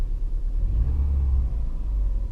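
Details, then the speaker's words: Subaru winter beater, cold engine, not revved, no engine lights; deep smooth low rumble at steady cold idle, no knocks, clicks, odd noises or grinds; normal cold idle. "But yeah, it runs perfect. There's no knocks, there's no clicks, there's no odd noises or grinds. It's got a smooth, low idle right where you want it to be."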